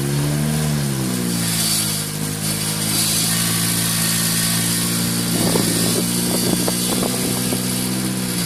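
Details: Car with Pumaspeed muffler: engine idles then revs, odd buzzy rasp and short rattling bursts on the exhaust note as revs rise; unusual exhaust noise, cause unknown.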